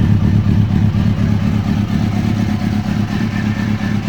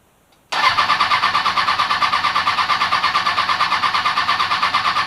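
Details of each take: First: Kawasaki Ninja ZX-636 rebuild after repairing a faulty fuel pump harness connector: bike starts and runs, crisp even exhaust pulses picking up cleanly on throttle blips, healthy running; FI warning light on. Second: Kawasaki Ninja ZX-636 during rebuild, new battery, fresh fuel: starter whirs steadily for several seconds, stops, cranks again, never fires, no fuel pump prime hum; crank no start, fuel pump not priming.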